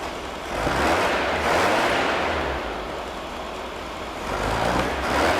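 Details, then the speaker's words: Air-cooled VW engine of unknown history, built from used parts and first started cold: busy clatter rising and falling with light revs, no bottom-end knock heard under the valve chatter; small exhaust leak noted nearby. "I'm actually kind of surprised that I don't hear any knocking although I did basically use pancake syrup as uh as oil so who knows uh if that noise will stay away while uh well the engine's kind of cold"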